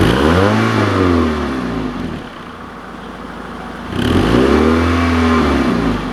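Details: Car started in cold damp ~3°C weather: two clean throttle blips rise and fall smoothly with steady, even idle around 1500 rpm between; owner says it has always idled like this, sounds healthy.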